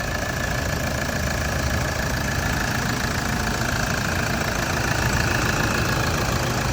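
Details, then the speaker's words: 2012 Toyota Vigo 3.0 diesel automatic: starts on the first try without throttle help, no smoke, then a steady, even diesel clatter at cold idle with no misses, hunting or extra knocks. Normal healthy idle. "สตาร์ททีเดียวติดไม่ต้องเหยียบคันเร่งช่วยอะไรเพราะว่ารถเนี่ยกำลังแข็งแรงด้วตัวเอง"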